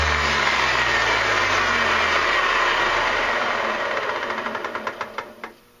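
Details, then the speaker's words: Antique Sunbeam dual-blade electric mower, plugged in and switched on, flipped over: motor whirs and slowly winds down with ticks slowing as it coasts; one blade side isn't driven because its drive belt is missing. "Like I said, the belt on the other side is gone."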